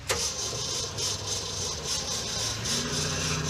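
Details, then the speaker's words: 1969 Chevrolet Suburban with junkyard big-block: sharp crank, then it catches at a lumpy, uneven idle ready to die; it stalled lifting off throttle downhill, idle suspected too low, puked out the bypass; not confirmed. "This thing died coming down the hill because when you lift off the throttle, I think the idle is too low."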